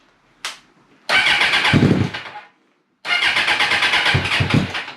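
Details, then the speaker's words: Suzuki Bandit 650S motorcycle, sat two years, first start after clutch, oil and filter work, battery trickle-charged, on choke with clutch held in: two long bursts of cranking, engine barely catching; slow to start, cause unconfirmed. "She's trying. He's holding his clutch in as well."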